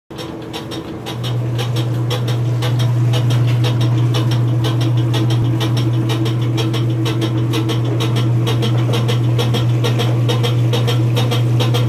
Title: Maytag washer making clunk noise when spinning.